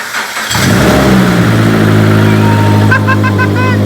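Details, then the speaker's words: 2015 Subaru BRZ, bought with a knocking motor, heard at its first start after a motor swap. The starter turns briefly, the engine catches cleanly, settles into a steady idle and takes an even blip of revs: normal start and rev. "It worked. It started. That was the easiest shit ever."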